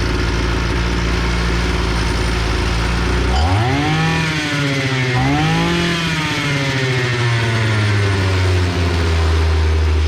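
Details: EFCO two-stroke brush cutter that ran briefly then stopped, after carburetor repair of a fuel leak that stopped the pump diaphragm working; catches after a few seconds, revs rise and fall cleanly, settles to even buzzing idle; running healthy.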